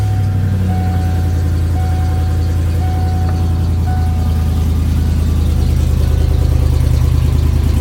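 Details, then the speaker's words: 1996 Ford F-250 at start-up idle, with a bad header. Steady low idle with a faint quick ticking puff about three per second; the owner points out the exhaust manifold leak. "exhaust still sounds like crap because it's got a bad header but"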